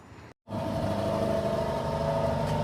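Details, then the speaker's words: Acura TSX at idle after custom exhaust using stock mufflers: steady petrol rumble with a light metallic buzz from a rattling heat shield; otherwise sounds good and quiet. "There's a heat shield rattle. I gotta fix that, but it sounds pretty good."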